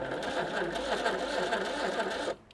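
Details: 1985 Citroen 2CV6 Special barn find, one family owner, two-cylinder, being revived after long storage: steady labored whirring as the starter drags the engine over slowly; pistons and rings tight in their bores, and the starter is suspected slow too.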